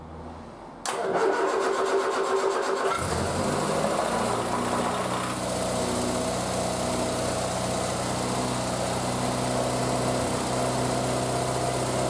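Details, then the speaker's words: Triumph Spitfire, start after single-carb conversion and fuel line work, cold, full choke, in neutral: starter cranks about two seconds, then the engine catches and settles into a steady, even fast idle; healthy start. "And then we'll give it a tickle over and see if she wants to start for us. Right. Full choke. Make sure we're in neutral."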